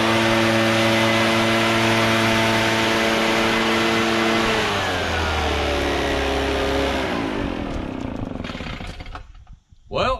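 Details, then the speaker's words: Barn-find Echo PB650 backpack blower, stored roughly 2–7 years, old gas replaced with fresh: strong, even two-stroke buzz with steady tone, then revs fall away as it shuts down; normal running. "it seems to work pretty good and that's powerful enough to blow that gravel around make a heck of a dust storm"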